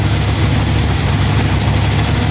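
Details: 2000 GMC K2500 with Gen 6 Vortec 7.4L 454 big block, new plugs, at idle: a thin, steady high squeal over an even V8 rumble. The accessory belt is squealing; WD40 only quieted it temporarily.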